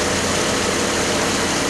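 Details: 2004 Grand Am 3.4 V6 after replacing the electric radiator fans (old fan bearing was going out): steady even rush of air over a smooth idle, no squeal or rattle; fans running normally.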